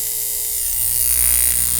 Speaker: you hear how noisy that is isn't that crazy now that's not the only spark that you get when this thing is working inside the power supply all of these ones are sparking too